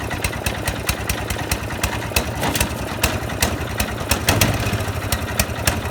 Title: Misfiring snowblower